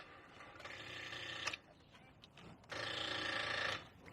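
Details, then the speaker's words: Car with battery reading 11.35 V: two bursts of rapid buzzy chattering, each about a second long, instead of cranking; battery too low to turn the starter; dead battery. "That is a dead battery. So what can we do?"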